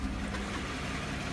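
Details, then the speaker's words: 2015 GMC Sierra 1500 5.3L V8, low mileage, idling with an even, low rumble and no puffing, ticking or hiss; quiet, healthy idle free of exhaust leaks. "but we do want you to be able to hear how quiet it is here it's free of any exhaust leaks"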